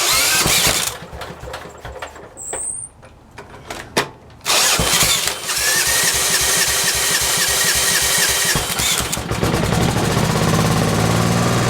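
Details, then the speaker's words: Briggs and Stratton P.E. 75 engine, slightly warm, after ignition repair: a few pulls, then it catches and settles into a steady, even chug with no misfires or stumbles; starts and runs healthy. "But I'm going to fire it up right now to close out this video. It's a little bit warm because I ran it a couple of times."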